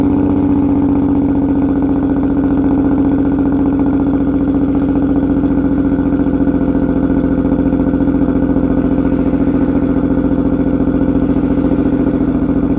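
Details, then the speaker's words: Six-cylinder car with an inoperative cylinder 1 injector, running on five cylinders, cold start before repair: steady, lumpy, uneven shake on every cycle at idle. Cylinder misfire from the failed injector. "all right so this is going to be the five cylinder cold start so you can hear what i've been driving around with for the last week"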